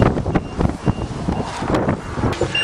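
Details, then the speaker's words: Old 427 dump truck that sat a while, with the key on and the engine just started: repeating warning beeps over the truck rumble until the compressor builds air-brake pressure over a couple of minutes. Low air pressure warning. "what I just told you until the engine's running for a few minutes it has to build up air pressure so the air brakes work so it'll it'll beep and say low air till it runs for a couple minutes"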